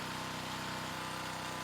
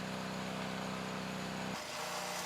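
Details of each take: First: New Predator small engine running with sand in the oil, just under 12 minutes into the test: fast, even ticking rattle over a steady run, getting noisy as the sand takes its toll. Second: Engine at start of oil additive destruction test, before steel shavings run to failure at about 100 minutes: steady even drone from small single at constant speed, no knocks or rattles; running normally.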